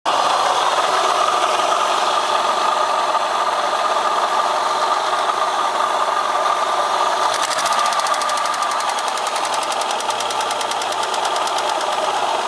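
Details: Opel X30XE V6 engine idling steadily with an even ticking knock at about three beats a second, a knock from inside the engine whose cause is unclear.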